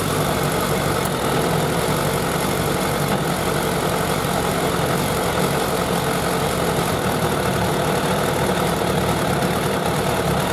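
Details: Suzuki Bandit 1200 four-carburettor naked bike at idle during carburettor synchronisation; steady, even inline-four idle with a constant low hum and no stumbles or misses, carbs sounding balanced, a normal idle.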